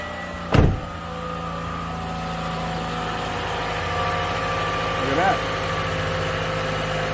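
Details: 2014 Toyota Camry four-cylinder with hard start, long crank and P0171 lean code, started after fuel work with air in the system: single clunk then steady even idle, no misses; fuel pressure 49.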